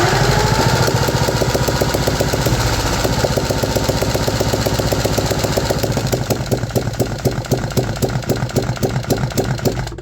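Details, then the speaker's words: 3D-printed 125cc single-cylinder four-stroke engine, on choke after adding fuel to the mixture: uneven, irregularly spaced firing pulses as it sags and dies after about five to ten seconds; rough running while fuel-air ratio is still being adjusted. "That was much better. We actually had around a 5 seconds run there."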